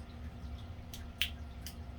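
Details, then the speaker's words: Polished brass Craftmade ceiling fan light kit pull chain switch, older fan during teardown: four crisp separate clicks over about a second, clean with no scrape or rattle; switch sounds healthy. "You can tell that sounds absolutely healthy."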